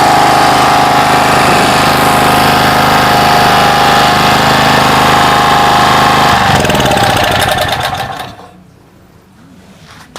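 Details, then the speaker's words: Generator (genset) left unused for one year, started with choke after the revival trick: a steady, even single-cylinder beat with no sputter or rattling and a normal idle, holding speed until it is switched off and winds down. "Oke teman-teman, di sini gensetnya sudah hidup normal tanpa ada suara redet-redet di gensetnya, dan stasionernya itu seperti biasa normal sekali, dan saya nyatakan berhasil sesuai dengan trik yang saya lakukan tadi."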